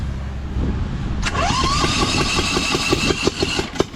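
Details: Newly fitted engine on a Lesco Viper 54" zero-turn, first start on full choke with no muffler; the shutoff doesn't work. It catches with loud, uneven, lopsided pops through open pipes; only one cylinder firing.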